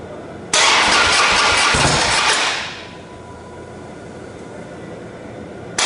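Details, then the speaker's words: Stock 2007 motorcycle, 10,000 miles, cold start right after GlidePro motor mount install, no break-in yet: loud start-up roar settles within two seconds into quiet steady idle, no knocks or misses. Normal cold start and idle. "it's a little cold I don't know how way you can hear me it's not warmed up down yet"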